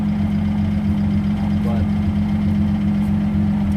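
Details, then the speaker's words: Twin-turbo V6 Mustang after DW 340lph fuel pump install: steady low hum with even, smooth pulse, no stumbling or hunting; bigger pump fine at idle, driving still untested. "all right so uh now we know bigger pump at idle is okay"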